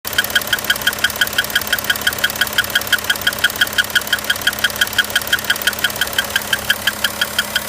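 A sharp, regular tick, about three per second, stands out over a steady diesel idle. This knock needs tracing, as the source is unknown.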